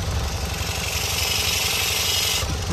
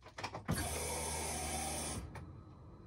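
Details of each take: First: BMW E46 idling with a rapid chuffing puff and hiss at the exhaust, raised on a jack: the joint is leaking again because the earlier sleeve failed, and a longer sleeve will be fitted. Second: BMW E46 idling after exhaust leak repair with a longer sleeve and paste; cranks, catches and settles to an even idle with no puffing or ticking, no leak.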